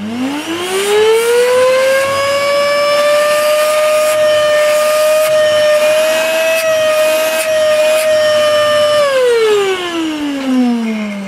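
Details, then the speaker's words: Hoover Dustmanager 2200 W bagless vacuum running: loud, harsh, high whine that spins up, holds, then winds down; owner presumes the motor fan is bad; runs, but below full performance. "I do presume the motor fan is C and crap this is why it sounds so flipping awful"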